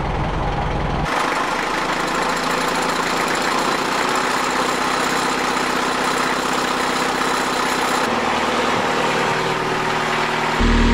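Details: Fresh-water-cooled boat inboard idling at dock test after raw water pump rebuild, oil pressure 40 psi, water temperature rising high though old sending unit may read wrong; even mechanical clatter, no knock or miss; healthy.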